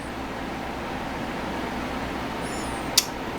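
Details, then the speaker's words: Adcom GFA-555 amplifier with its internal protection module corrected by adding a ground wire. 8-ohm load, voltage raised: steady fan hum, then one crisp relay click into protection. The protection relay works properly. "clicks out of protection turn the voltage back up clicks into protection so it works properly with that ground wire and we just heard it click Adder protection"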